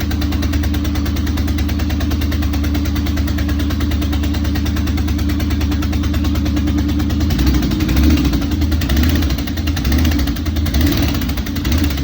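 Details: Corvette V8 with major exhaust leaks: lumpy idle with a loud, chuffing, puffing exhaust note, and blips raise the pitch; it runs.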